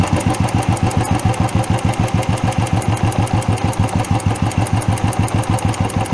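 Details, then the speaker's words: Single-cylinder carburetted bike idling after the throttle screw was turned down: slow, lumpy idle of about three beats a second with a tapping edge, close to stalling, so the idle speed is set too low. "ये देखिए tapping का noise आप सुन सकते हैं यहां पर गाड़ी बंद हो सकती है कभी भी बंद हो सकती है"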